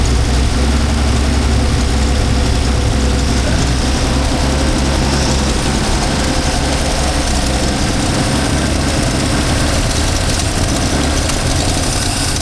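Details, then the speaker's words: 1977 Holden HX, 202 engine, carburettor swapped (previously only idled high on choke): steady, even low idle with smooth beat, no misses or knocks; running much better. "And this KBY seems to be running a lot better."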